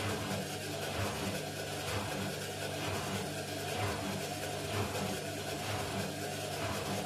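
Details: Indesit mini washing machine with bad drum bearings on an unbalanced spin: steady low rumble with a roar that swells about once a second.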